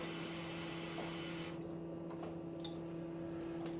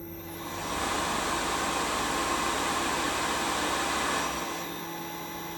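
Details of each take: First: Replacement Tormach RapidTurn spindle is much noisier than the original: steady hum and faint whine with light irregular ticking, suspected spindle bearings (maybe lighter preload or lower-viscosity grease), not sounding about to seize; owner unsure. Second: Replacement Tormach RapidTurn drive motor run with the belt off: smooth steady whirr, no ticking, even wind-down, so the motor is fine and the ticking is presumed to come from the spindle bearings.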